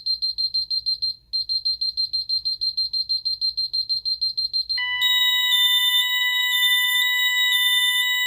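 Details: Ademco 6139 alarm keypad, armed away, during a zone test: fast pulsing high beeps, then a steady warbling yodel tone; the intrusion alarm (alarm 08) before cancelling.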